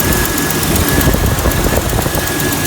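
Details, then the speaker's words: 1999 Jeep Cherokee XJ 4.0 inline-six, cold start after new Champion Copper Plus plugs, cap, rotor and wires at 60,000 miles; brief, steady even low rumble with no misses or rattles, sounds like the old plugs. "They were Sounds just like the old plugs. Can't even tell a difference. That's a cold start, so"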